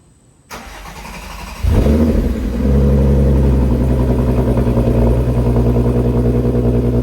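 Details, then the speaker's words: VW MK6 GTI 3.6 VR6 after rod bearing replacement and engine flush: quick crank, clean catch, steady even idle with no knock or tapping; runs great, no dash lights. "car runs great there's no lights on the dash"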